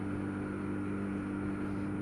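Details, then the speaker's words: Yamaha RD400 air-cooled two-stroke on its first proper run: a busy metallic rattle like a bag of rusty nails rides on the exhaust, in gear as well as out of gear. The owner is unsure whether it is normal or due to the damping rubbers. "I'll be honest with you, it sounds a bit like a bag of rusty nails."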